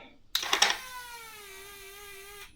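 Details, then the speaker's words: 1957 Chevy 3100 pickup with a swapped Chevy 5.3 LS, key on after correcting a backwards-installed fuel pump: brief clatter, then a steady high whine dropping slightly in pitch as pressure builds. Normal fuel pump prime. "Can hear that priming down."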